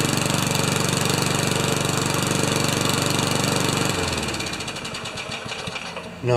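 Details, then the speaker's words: 1989 Craftsman Eager mower with Tecumseh engine, earlier hard to start, after repair: single-cylinder runs fast and even about four seconds without stumbles, then winds down, very smooth; normal running. "there aren't enough O's in smooth to describe that."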